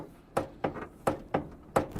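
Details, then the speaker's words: Car with faulty steering that jams and pulls: sharp, hollow knocks, about five in two seconds, as the steering wheel is turned. "Can you turn the steering wheel for me? I'm pretty sure we'll hear the knocking noise."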